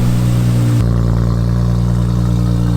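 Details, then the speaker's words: Nissan Skyline RB engine running after being parked up for a long time, loud indoors: steady deep drone with even low hum, no knocks or rattles; oil pressure good, engine sound. "She's still running, that's all that matters. We're good, we're good. Alright. Oil pressure's good."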